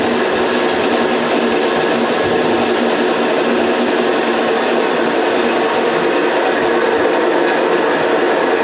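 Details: Homemade automatic motor coil winding machine winding a coil with counter running: steady, even whirr, no knocks, rubs or speed surges; runs smoothly and stops automatically.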